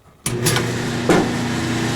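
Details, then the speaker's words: Dryer set to dry after clothes stayed wet: motor starts with a thump and settles into a steady electric hum with no drum tumble or thumps, the drum belt has snapped. "Well, that don't sound right."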